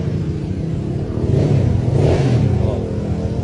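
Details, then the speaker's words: Honda Vario scooter, engine rebuilt one month earlier, customer complained of noisy engine; starts easily, smooth rev climbs and falls back with no knocks, rattles or belt-drive grinding; no oil leaks at seals, engine healthy, normal revving. "Nah, bisa didengarkan sendiri kan buat bagian suara mesin tuh adem. Jadi kalau bagian mesin itu aman, Teman-teman."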